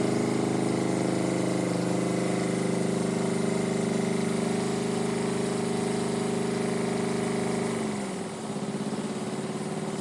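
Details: Perkins two-cylinder diesel in a Power Pony, running after its fuel system was bled with a new banjo bolt. A steady, even chug at constant speed, winding down near the end, with no misfire; normal running.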